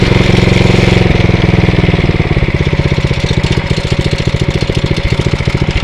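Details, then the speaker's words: Atco Royale B24E cylinder lawnmower, single-cylinder engine after carburettor work, running under load; steady chug dips briefly when drive engages then recovers to even beat; healthy running under load. "you hear it's like when you engage you see the ribs just sort of do go down a little bit but then um it just picks right up and seems to be okay"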